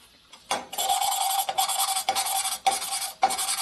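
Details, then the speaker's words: Lapping valve seats by hand on a 1980 Harley Sportster ironhead 74ci stroker cylinder head rebuild. Rough, gritty scraping rasp in strokes about twice a second while fresh compound still cuts; the sound turns less aggressive once compound wears and the surface is smooth. "You can tell when you're done lapping by how it sounds and how it feels. You can hear it when it's not so aggressive sounding. That means it's lapping compound wore down."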